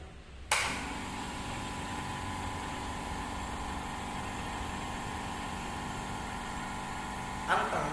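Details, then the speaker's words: New super-mini 8-bar tank air compressor with its muffler fitted: even steady muffled motor hum, no knocks or rattles; quiet, normal running, with the drain and valve working. "Anteng, nggak terlalu bising. Fungsi semua."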